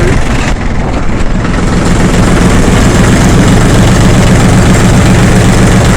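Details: Yanmar F16D compact tractor (1983–86), 1.0 L three-cylinder 20 hp diesel: deep, steady chug at a constant even beat with no knocks, misses or rattles; runs really good.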